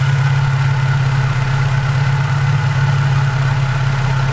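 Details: Infiniti G35/Nissan 350Z VQ35DE at idle, heard through a socket bar held on a known-good idler pulley for comparison: smooth, steady low hum with no grinding; bearing sounds good.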